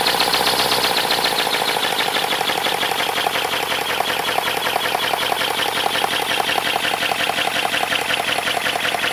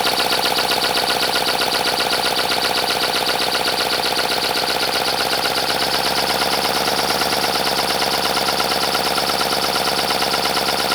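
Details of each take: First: 3D-printed 412cc V8 engine made of ASA plastic: fast, even rattly chatter pulsing steadily after a brief settle; runs smoothly with no odd knocks. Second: 3D-printed 412cc V8, about 50cc per cylinder, high friction, second run before any oil added: fast dry clatter over steady air hiss; owner suspects it needs lubrication but unsure, then pours 5W-30 into intake manifold.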